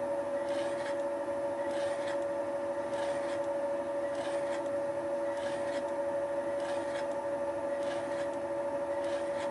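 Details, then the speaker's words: Facing cut on the top surface of a lawn mower's plastic housing around its molten bearing seat. Uses a Wohlhaupter UPA5 facing and boring head on a Thiel Duplex 158 mill, cutter advancing radially a few tenths of a millimetre per rotation. Steady high cutting tone with an even swish; a smooth, clean cut. "I started with cleaning up the top surface of the housing around the bearing seat the facing and boring head was set up for facing so that the cutter advanced radially by a few tenths of a millimeter with each rotation"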